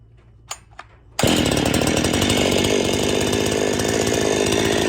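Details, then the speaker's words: Husqvarna 55/51 hybrid chainsaw being rebuilt, choke on, decompression valve not working: quiet clicks then fires into crisp even buzz with strong pop; normal running. "Ooh, she got some pop to her."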